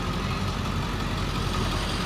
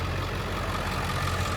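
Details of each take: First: 2003 Ford F-350 7.3L Powerstroke turbo diesel, 93K miles, idling: steady low clatter with faint metallic rattle from loose chrome cap on muffler; pushing on it stops rattle, clamp needs tightening. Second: One-owner 2003 Ford F-350 Super Duty Lariat 7.3L Powerstroke turbo diesel, 93,176 miles, engine bay: deep, steady diesel clatter at idle with an even beat, no misses or knocks; runs strong and smooth, normal idle.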